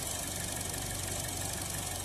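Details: 2016 Buick Encore idling very rough and surging, stalling intermittently, check engine light on, code P0131 (O2 sensor 1 low voltage): uneven, lumpy idle with a ragged beat under a steady hiss; vacuum leak at the PCV vent disc on the valve cover.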